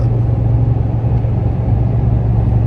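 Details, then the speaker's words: After fitting a new exhaust, pulling uphill while downshifting: deep, steady low rumble with no booming drone in the cab; the exhaust sounds healthy under load. "Well, I took the wife for a ride and she agrees it sounds great. However, I did apologize to her because I'm probably going to be going through a lot more gas because I like the way it sounds when I put my foot on it."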